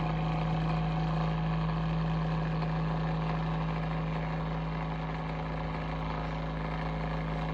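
Steady low motor hum with a constant tone and faint fluttering; the fan motor sounds off, but the cause is unclear.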